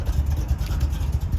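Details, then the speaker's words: 1971 Corvette, rebuilt numbers-matching V8 with a cam, at idle. Deep, uneven rumble loping about five to six pulses a second; a lumpy, throaty cam note from a healthy, well-tuned engine. "It has a wonderful cam in it that gives it that nice throaty sound."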